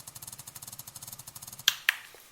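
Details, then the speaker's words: Bissell PowerFresh steam mop, pump on the high (fastest) setting: fast, even ticking pulses about ten a second, steady and regular, then a couple of clicks; normal pump pulsing. "And when you put it at the high setting, it should have a rapid pulse coming out of the pump."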